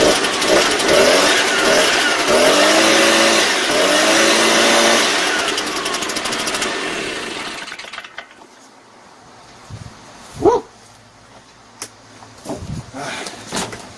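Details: Shindaiwa EB803 engine blower that would not start, after cleaning sand from carburetor, new diaphragm, fuel filter and spark plug: two-stroke buzzes strongly and evenly, revs up cleanly, then winds down at shutoff; healthy.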